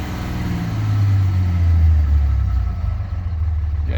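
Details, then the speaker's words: Just-started 5.9 Cummins diesel with excessive black smoke and a bad hard start, revved to 2500 rpm and released: revs fall in uneven steps instead of a smooth drop. Owner suspects leaky injectors, not confirmed. "can hear it and see it in the tack it just starts to step down instead of go down instead of the RPMs going down nice and uh steady um so one or more of my injectors is not good"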